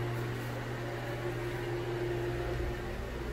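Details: Broan Heat-a-vent bathroom exhaust fan and heater, heater not working, rated 70 CFM and about 4.0 sones; even low hum and smooth rush, not too loud, not buzzy at all, healthy normal running.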